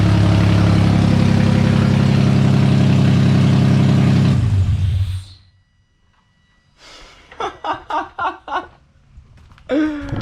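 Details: Freshly rebuilt VQ35DE swapped into a 240sx S13, after the vacuum leaks were capped: very loud, deep, evenly firing run through open headers for about four seconds, then shut off. Vacuum leaks confirmed as the cause.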